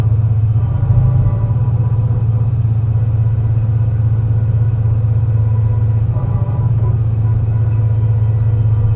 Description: Torrens Transit Morphetville’s 757, a MAN NL202 CNG with a tuneful ZF 5 speed gearbox climbing it’s way along the hilly G21 route to Aberfoyle Hub, a bad misfire in the engine causing the climb to be a dramatic but enthusing one